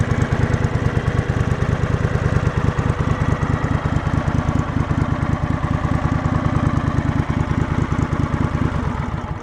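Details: Two-cylinder engine after the idle was turned down (previously running on one cylinder with idle set high), fully warm after about 20 minutes: steady even thump at idle with no valvetrain tapping; normal idle.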